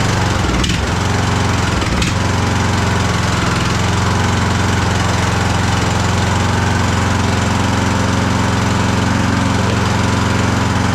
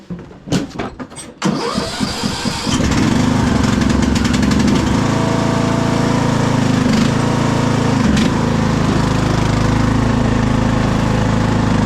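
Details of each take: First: Craftsman DLT3000 lawn tractor after a new coil, fuel filter and shut-off valve: loud, uneven low chugging with pops, backfiring through the carb. Running rough; carburettor problems suspected. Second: Craftsman DLT3000 lawn tractor: after a few cranks it catches and settles into a steady, even low thrum with no misses or knocks; runs healthy.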